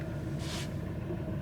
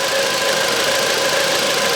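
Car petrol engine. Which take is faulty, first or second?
first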